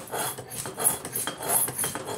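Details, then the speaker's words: Rear wheel bearing from a 2008 Nissan Armada 4x4, spun by hand: a dry, rough rasping grind swelling and fading with each turn. The bearing is worn and must be replaced. "so se oye como como si raspara Ok oiga Eso quiere decir que El balero ya está descompuesto y hay que reemplazarlo"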